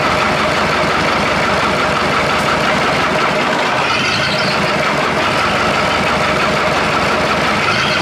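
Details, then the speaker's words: Perkins diesel in an old Australian-made Chamberlain R1250 tractor crane, running: steady, even rumble with no misses; sounds good running on all four cylinders. "yeah sounds good it sounds good running on all four"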